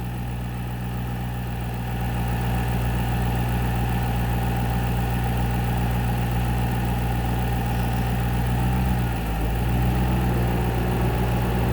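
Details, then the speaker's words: 2009 Ford Mustang GT (S197) V8 at steady idle with AC running; the AC compressor clutch drops out briefly, making a small dip in the constant hum. It disengages to hold pressure in range, normal cycling with correct charge. "Now the compressor will disengage to keep the black line in the green. If the compressor don't disengage, it'll keep building up pressure and explode out the system."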